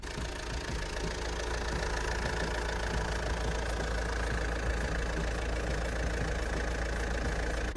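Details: Alfa Romeo Giulietta Veloce engine idling with air conditioning off, compressor clutch static: smooth, steady low drone with no knocks or uneven beats; normal healthy idle.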